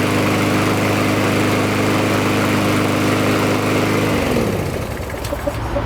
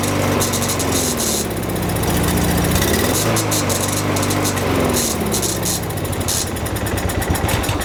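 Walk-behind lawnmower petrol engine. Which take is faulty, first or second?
second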